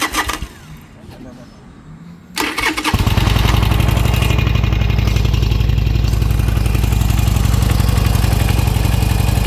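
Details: Bike after fuel pump work and reassembly; starter whirs briefly, engine catches and settles into even, steady idle about four beats a second; normal start and idle.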